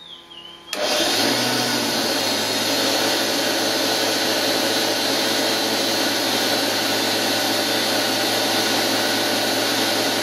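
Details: Washing machine universal motor driving a lathe, running unloaded without cutting, recorded near a decibel meter before bearing replacement; loud steady hissy roar from rough worn motor bearings.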